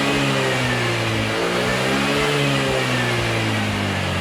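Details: Honda Vario (old model) scooter revving during a charging test, with charging judged normal: smooth rev-up and settle, even firing and steady hum, no knocking or rattling; a healthy engine.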